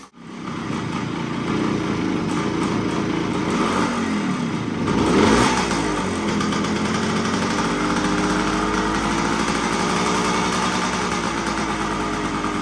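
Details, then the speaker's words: 1975 Suzuki TS125 two-stroke, stored for a while; previously broke up past half throttle. After turning in the air screw, warmed up: crisp even buzz, small throttle blip returning to steady idle; running clean. "just have to turn in the air screw a little bit to get it to run better so it's running pretty good right now"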